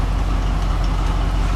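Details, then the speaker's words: Grain truck V8 with new dual exhaust, idling; much quieter deep even rumble, no popping or stumbling; reported to run 10 times better on a test drive since the work; normal idle. "Holy that's so much quieter. It doesn't sound right. Not going from the exhaust leaks. That dual exhaust sounds good on there."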